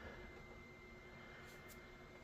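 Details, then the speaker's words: Newly built PC, ASUS ROG STRIX X670E-I with AMD Ryzen 9 9900X and Noctua cooler, first power-on; steady airy whir with thin high whine, fans flat out; fans at full speed on power-up. "fans are noisy I hope that's just because it's starting up cuz they're spinning pretty fast"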